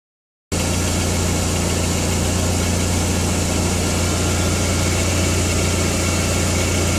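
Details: Skoda Octavia 1.8T (AGU engine) at idle: low drone with a loose, fairly regular light rattle/tick about three to four per second; owner suspects a defective dual-mass flywheel, unconfirmed.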